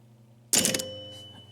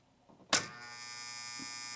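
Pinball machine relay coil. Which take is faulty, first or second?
second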